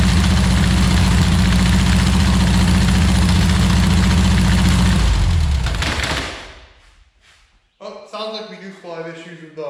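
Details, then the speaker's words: 1962 Berry Mini T dune buggy, air-cooled VW engine, first run after five years stored, with the distributor 180° out: steady, even deep idle, then shutdown. Runs normally. "but she runs so there you have it guys been sitting for about five years at a garage"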